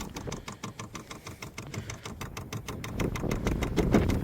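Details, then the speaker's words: Vevor diesel heater with Bluetooth remote, installed outside a shed studio, priming: steady light ticking, about three clicks a second, over faint hum; the fuel pump is working normally, with fuel soon seen entering the line from a 5-gallon can. "So you can hear the pump working. I can't see fuel in the line yet, so it's not getting it."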